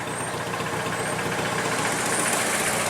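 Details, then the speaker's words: 1988 Dodge Dakota 2.2 L four-cylinder idling in neutral after the slipped exhaust pipe was refitted and clamped tight: steady, even idle with a fairly loud raspy note and no leak puffs or rattles; sounds normal, much better. "oh yeah that's a lot better"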